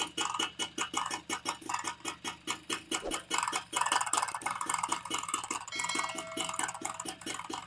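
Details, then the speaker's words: TVS XL Super moped after an engine rebuild (new crank, bore, clutch kit, shoes, bearings), mic held close at low idle: sharp knocks about four a second, like worn clutch shoe rubber or a weak bore; crankshaft end-play knock, engine to be reopened. "நமக்கு ஹைலிங் நிக்கும் போதுதான் வந்து நமக்கு அந்த sound வருது clutch sound மாதிரி வச்சுக்கோங்களேன் clutch நம்ம ஷூ ரப்பர் போயிடுச்சுன்னா எப்படி ஒரு மாதிரி கட்ட கட்ட கட்டன்னு அடிக்கும் அந்த மாதிரி வருது"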